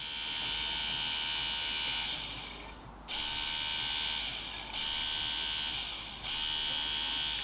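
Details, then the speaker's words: Ford Sierra Sapphire Cosworth electric brake servo pump motor, tested on the bench after specialist repair of a previous vibrating noise: a steady high-pitched whir with a couple of short dips in supply. Smooth and even, with no grinding or buzz. Normal electric motor running. "Now hopefully this should run fairly silent, I'm guessing. I just don't want it to make that weird vibrating noise."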